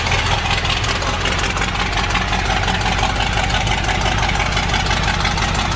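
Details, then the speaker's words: Bronco engine with newly installed FiTech EFI and replaced cylinder head, after timing set: fast, even ticking idle with steady low rumble, no stumbles or misses; running cleanly. "so let's see if we got this thing timed up right now thank you running good dude"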